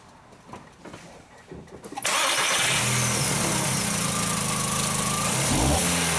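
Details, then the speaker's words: 2004 VW Jetta 2.0L after fitting a known-good used coil: engine starts and settles into a steady, even idle on all cylinders, no misfires on cylinder 3 in measuring blocks; normal idle. "oh and that's running really good"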